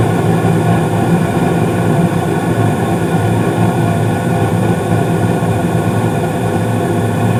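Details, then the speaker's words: Carrier gas furnace, 2019 seasonal heating startup: possible zone damper clicks as both zones open, then steady low rumble of the inducer blower revving up with burners lit, even and uninterrupted; normal startup. "so you may hear a couple of clicks from the zone dampers as I'm turning this on because I'm gonna turn on one zone and then turn on the other so they're both open"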